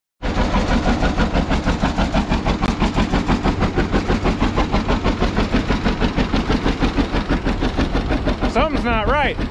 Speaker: this is what a john deere g sounds like when it's running on one cylinder